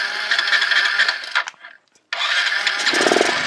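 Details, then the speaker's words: Motorcycle with a morning starting problem, carburettor: it catches and runs briefly after starting, then fades and dies once the throttle is released, before restarting; stalling at idle. "यहां से जब जैसे हम bike को start कर ते हैं और यहां से आरपीएम अगर हमने छोड़ दिया तो यह बाइक बंद हो जाती है देखिए बंद हो गया"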